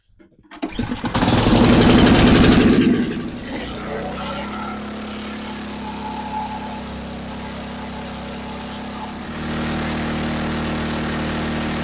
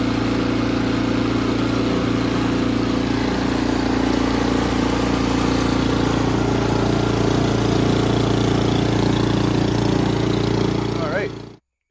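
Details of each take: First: Ariens Compact 24 snowblower after carburettor cleaning: the engine catches and holds a fast, high idle that won't drop. Cause was a bent plate that left the governor arm stuck. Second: Ariens Compact 24 snowblower, hard starting from bad gas, after carburetor cleaning and clearing the emulsion tube: steady even high idle set around 3200 rpm, smooth drone until shutoff; runs healthy.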